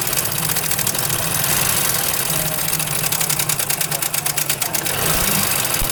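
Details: Honda CD70 motorcycle engine at idle: a loud, fast metallic clatter rides over the idle, loudest in the top end, from a worn, slack timing chain; replacing the chain made the engine quiet and smooth.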